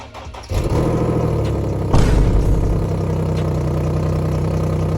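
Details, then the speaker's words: Infiniti G37 sedan V6 cold start before repair: cranks, catches with a quick flare, then settles into a loud, raspy idle from an exhaust leak at the Y-pipe flex section, the lowest-hanging point; before installing test pipes. "It does have an exhaust leak right at the flex part of the Ypipe. So, yeah, that's that's where it's coming from."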